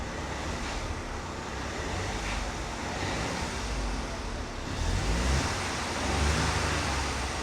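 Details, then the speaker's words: Sounds perfect, Not misfiring Chris. at all now, No. is it? It sounds lovely. "Sounds perfect, Not misfiring Chris. at all now, No. is it? It sounds lovely."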